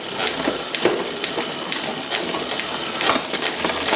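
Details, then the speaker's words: Nearly new bike after fixing a too-long, frame-catching factory gear cable outer and adjusting tension: crisp single clicks and light freewheel ticking, shifting up and down cleanly where downshifts were sluggish before. "IT GOES UP PERFECTLY. AND IT GOES DOWN. SORTED. That's how it should have left the factory."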